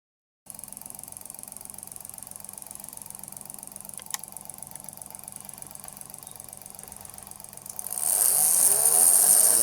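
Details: Electric motor with worn-out bearings: a steady high-pitched whine over the motor hum, rising to a loud howl near the end as the bearings scream.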